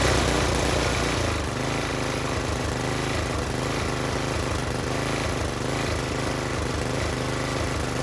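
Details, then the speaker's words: Tiller engine with new China-made carburetor, spark plug, air filter and fuel line, idle screw adjusted: single-cylinder runs steady with an even quick putter, no misses or surging; healthy. "now some of you hear that and you say well that engine ain't running reeled up as high as it is"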